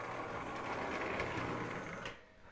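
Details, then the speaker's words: Lionel O gauge diesel locomotive (U36C Chessie/Western Maryland or similar) from an acquired collection, test-run forward and reverse on track: buzzing, whirring motor with rough rattly gear chatter from dry gears needing lubrication. "this engine sounds like it just needs to be lubricated. And underneath, I'll show you guys in a second, the gears to appear to be dry."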